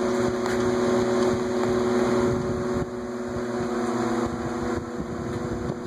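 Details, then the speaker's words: Vornado twin window fan, oiled yearly: two steady motor hums a touch apart in pitch, the left one lower and slowly creeping up until the two nearly match. The motors are running at slightly different speeds; the cause is unconfirmed. "it's like two different pitches it's like applying two notes at the same time and the note on the left is just slightly lower but it's gradually increasing they're almost the same"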